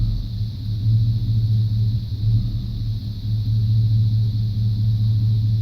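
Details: 1995 Chevrolet C1500 350 TBI V8: steady low idle with uneven periodic stumble in exhaust beat; idle misfire persisting after replacing plugs, wires, cap, rotor, EGR valve and coolant temp sensor, cause unknown.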